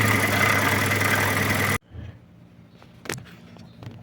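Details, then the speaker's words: Fiat Siena 1.0 8-valve, engine running: steady high whirring over the idle that stayed with the A/C belt removed; traced to the water pump bearing, which shows play with the timing belt off. "Tirei a correia do ar condicionado e aí o barulho permaneceu. E o barulho, dá para ver, ó, ele tá aqui na bomba d'água."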